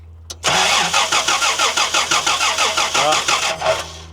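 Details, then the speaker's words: 1990 Toyota LandCruiser petrol, carbureted, sitting for years: steady starter churning about three turns a second for three seconds, never catching; spark earlier at points but none on retest; crank no start, no spark. "All right. No spark. I'm just going to manually do the points here."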